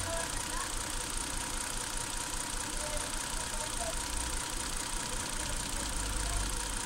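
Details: 2008 Hyundai Santa Fe, warm idle: uneven, lumpy rhythm with stumbling beats; one cylinder misfiring from a failed ignition coil on cylinder 5, confirmed with oscilloscope against coil 3.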